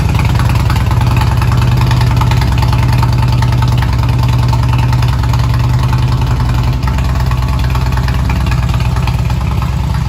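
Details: 1999 Harley-Davidson after fuel pump replacement and reconnecting a loose inline fuse connection in the pump wire: loud, deep, steady lumpy idle with no misses or mechanical noise; engine running healthy.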